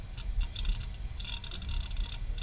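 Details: Retro PC hard drive on IDE, auto-detected in BIOS, booting toward Windows 95: quiet, irregular bursts of light chattering ticks over a soft hum, normal healthy drive seek noise.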